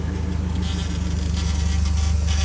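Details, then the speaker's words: Mercedes 190E demolition derby car: a steady low buzzing rattle from the fuel pump near the fuel cell, loud because it is hard-mounted without its usual rubber isolators. "here you can hear the pump rattling the noise away. Usually it's on isolators and it doesn't sound nearly that bad, but this because it's 6 mounted."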